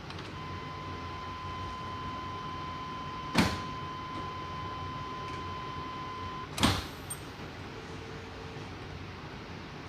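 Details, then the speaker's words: 2000 Chevy crew cab dually, first start after five years sitting, fuel pump relay bypassed with jumper: key cycled to prime, faint steady hum for about six seconds between clicks, no leaks; normal fuel pump priming. "i'm going to turn the key on and off a couple of times to prime the fuel system and then just double check make sure i don't have any leaks down at the fuel filter you can hear the fuel pump now"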